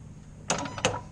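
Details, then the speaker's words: Gas-powered golf cart, switched on in neutral, gas pedal pushed: two crisp clicks about a third of a second apart from the contacts engaging inside the cylinder, working cleanly as they should. "so now if you listen as i push this you have to click that click you here is those contacts making inside that cylinder listen close"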